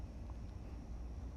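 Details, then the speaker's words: Vacuum pump (called the compressor) pulling vacuum on a large vessel to degas freshly mixed RTV silicone for mold making. A steady low rumble with no knocking, rattling or surging: running normally. "Can you hear the compressor? Compressor's working."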